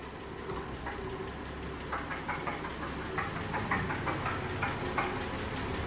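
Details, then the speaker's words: 1963 Dodge Polara slant-six: irregular sharp knocks, about two to three a second, through rough running, occasional and worse at higher rpm; bottom-end knock, probably a spun rod bearing, not confirmed. "Hear that? It's an occasional knock. It doesn't knock all the time, but definitely at higher RPMs. Very weird."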